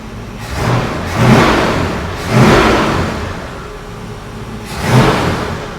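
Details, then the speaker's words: Mercury Cougar after installing a modified Mustang exhaust kit: three quick throttle blips rising and falling smoothly with a deep, mellow rumble, no rasp or ticking; normal exhaust note. "sounds good it's got a nice little tone to it nice little Rumble to it"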